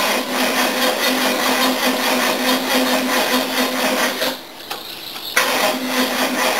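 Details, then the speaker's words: 1969 Mercedes W111 220Sb with new battery, cranking worse when hot: sluggish laboured cranking that never catches; starter solenoid connection found untouchably hot, high resistance starving starter; cranking much better after connections fixed. "all right now after that cranking I've come under the bonnet here and started touching things all the connections as I suspected I found that the connection down at the solenoid there is bloody untouchably hot"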